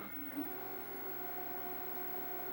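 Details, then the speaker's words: 1985 Magnavox VR8530SL01 (rebadged Panasonic) VHS VCR: quiet, steady motor whir at an even pitch with no squeal, slip or flutter; normal fast forward. "There's your fast forward."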